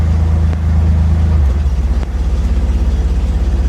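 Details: 1963 Corvair with intermittent power-loss electrical issue, left running: deep, uneven idle rumble with a pulsing beat about three times a second in drive, mostly absent in neutral; unexplained abnormal noise.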